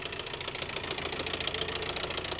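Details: 2021 Ford Transit diesel non-runner: a fast, regular, hard knock rides over the engine as it idles and pulls away.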